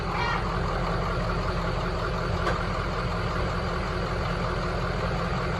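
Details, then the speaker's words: 2003 Ford F350 with swapped 2006 6.0 Powerstroke diesel, first start after engine swap, hard to start while high-pressure oil pump built pressure: steady even diesel clatter at idle, quiet and smooth, no knocks or misses. "sounds good she's quiet smooth"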